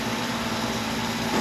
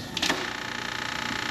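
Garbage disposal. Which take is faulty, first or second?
second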